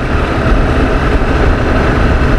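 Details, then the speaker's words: Honda Activa 6G scooter on a test ride after servicing: even, steady low hum with no knocks, rattles or whine; the front guard tapping noise was fixed; runs smooth and quiet. "इकडे बघताय गाडी किती smooth चालली आहे आवाज सुद्धा येत नाही आता"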